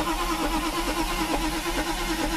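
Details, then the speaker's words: Mercedes with rebuilt mechanical fuel distributor, diaphragm replaced, cranking after refit: steady starter cranking with occasional weak catches, never runs; no-start because air-fuel mixture screw is badly misadjusted. "come on now now my fuel ratio is completely off right now I see it I feel it actually it's just crazy off"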